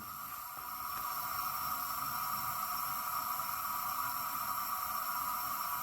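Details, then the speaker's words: 1981 Honda CB900C engine, leak-down test on cylinder 3 showing about 85–90% leakage: a constant airy hiss with a faint whistle heard in the crankcase as air blows past worn piston rings. "Here we got almost 90%, looks like 85% leakage right there. I can hear it in the crankcase."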